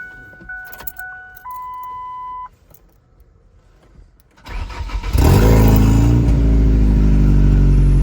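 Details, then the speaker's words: Ford Ranger 2.0 EcoBoost restart with a new high pressure fuel pump, no coolant, downpipe or O2 sensors: a few warning chimes, then it fires right off and settles into a strong, steady run; healthy quick start. "Yep, fired right off like it usually did or used to."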